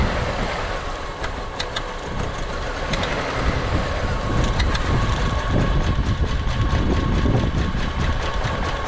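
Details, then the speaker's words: 1999 Honda Accord with about 200,000 miles, misfire codes P0303 and P0301 after a cold snap: rough, lumpy idle with loose ticking; pulling one plug wire made it sputter, another killed it; coil suspected. "look at the Idol's terrible that one made it spit and sputter so I think it's good cylinder oh that killed it"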